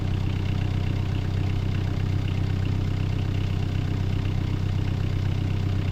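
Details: 2018 Bobcat E26 mini excavator diesel at 1869.4 hours, just started after a battery replacement and roughly a month unused. Low, even chug at idle; owner noted it ran rough briefly as fuel drained back and starved initially.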